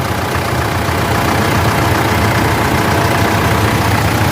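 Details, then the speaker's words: Mitsubishi L200 Triton 3.2 diesel after replacing the timing chain kit: a steady, even diesel clatter at idle with a smooth low rumble and no knocks or chain noise; the engine sounds healthy. "Graças a Deus tudo ok E já rodamos aí 10km de a 10km vamos voltar para oficina agora o barulho é excelente no motor tá puxando beleza"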